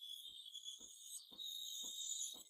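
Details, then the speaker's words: Breville Barista Express steam wand foaming 4 oz milk in small jug for cappuccino: steady high hiss with soft paper-tearing pulses about twice a second as air enters the milk, making microfoam; normal correct aeration sound. "you're looking for a paper tearing sound like that. That's the sound. That's the sound of air being introduced into the milk, expanding it and making that microfoam to make that foam and nice latte art."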